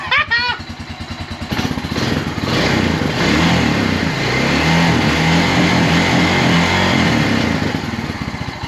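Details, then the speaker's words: 2001 Honda Rancher 350 ATV, repaired after a stuck-open intake valve, with a new carburetor and the idle screw turned about two turns in: it catches after a brief rev and settles into an even, steady single-cylinder idle. "I got it running running pretty good"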